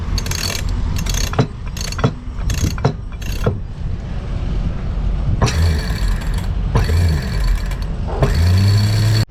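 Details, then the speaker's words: Lewmar 58ST electric winch reassembled after rebuild: short ratcheting clicks in bursts, then a smooth steady motor hum under load; turns evenly, sounds perfect, slightly tight at the top, expected as new. "so it's all put back together and listen to the sound sounds perfect except this is a little tight up here but uh it's brand new so I kind of expect it"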